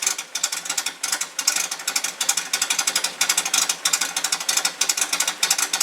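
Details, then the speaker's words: Rebuilt air-cooled VW flat-four with raised compression, 009 distributor, alternator, no muffler: crackly snappy exhaust pulses about three a second, lumpy but even; engine runs well. "this doesn't have a muffler on it so it might sound a little crackly it's a little snotty I drove it the other day and it runs real well"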